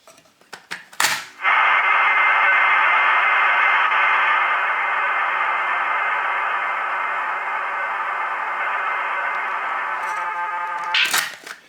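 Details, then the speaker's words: ZX Spectrum game cassette played on car stereo powered by car battery, via speaker output: steady hissy data tone, mostly mid-treble with little top end; dull, noisy playback, owner suspects dirty heads, rubber wheels or head misalignment. "Right then, best way to try it is to put a tape in. Here goes. Doesn't sound very good, does it?"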